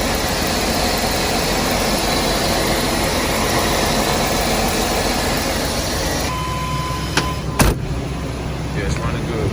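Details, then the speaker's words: 2001 Chevy Express van, 4.3 V6, after spider fuel injector, coil and distributor replacement; first cold start at 35°F without starting fluid catches and settles to a steady, even idle, no service engine light: normal idle. "okay guys here we go no service engine light it's running great wow that's what it was"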